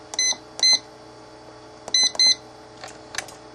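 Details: Dumpster-found Wine Enthusiast wine cooler, revived by replacing a 5A fuse, cold with both fans running: two pairs of short high-pitched beeps as the temperature is set higher to shut the fans off; each press answered cleanly; normal control panel beeps.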